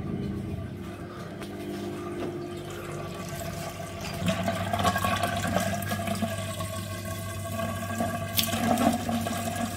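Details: Bosch washing machine that had shown error F18 (drain pump blocked, not draining) now drains after the repair: a steady low pump hum under gurgling water flow, smooth and uninterrupted, as the drain pump empties the drum properly.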